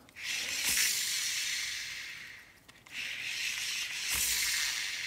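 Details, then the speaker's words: Shimano Exsence DC baitcasting reel after an odd backlash: spool spins with soft airy hiss and mechanical spool sound but the DC brake whine is missing; brakes work, Shimano service found nothing, DC module replacement ordered. "really hard to hear the DC sound. If you watch one of my earlier videos, you can hear the DC sound very easily. You see you hear the mechanic sound of the normal spool, but normally you should hear the whine sound of the DC."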